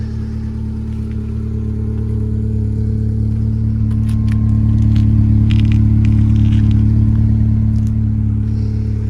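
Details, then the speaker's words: MG ZS 1.6, started straight away: smooth, even drone swelling as revs rise and settle, no knocks or rattles; runs really well. "it sounds good so they're really impressed with that it started straightaway which wasn't wasn't expected seems like she's running I'm really good"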